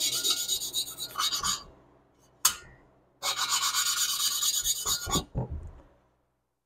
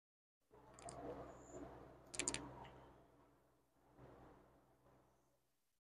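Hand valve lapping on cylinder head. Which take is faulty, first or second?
second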